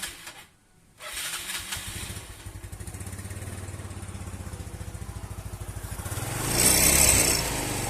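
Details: Yamaha Mio Sporty scooter with a squeaking noise in the CVT: after start-up the idle pulses evenly with a thin high squeal rising on the blip; belt drive squeaking, cause not yet traced.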